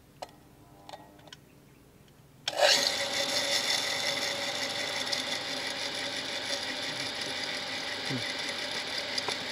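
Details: Shimizu PS135E water pump that first hummed without turning, now spinning after restarts: harsh, steady hissing rush with no smooth hum, loud as if sand got into the machine; possibly grit inside.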